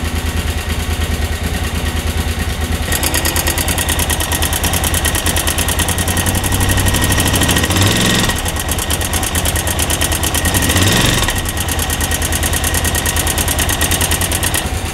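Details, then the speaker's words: 2003 KTM 950 Adventure (LC8 V-twin), recently serviced at a KTM dealer: diesel-like metallic clatter from the timing area rides over the uneven idle, increasing over time and loudest on brief revs; cause unconfirmed. Engine ticking at idle. "je sais pas si ça sera très très audible mais je sais pas si tu entends le cliquettement qui augmente au fur et à mesure"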